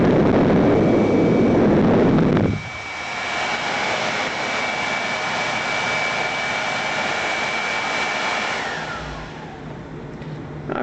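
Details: World Model A hand dryer, General Electric universal motor on the bench, heater disconnected: steady airy rush with an even whine for six seconds, then a smooth coast-down; no bearing growl.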